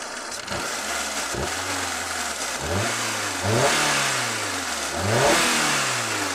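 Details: 2011 Hyundai i10 after overheating repair with intake, exhaust and timing belt refitted, being tested for overheating: engine blips up and falls back cleanly several times, no knocks or misses; normal revving.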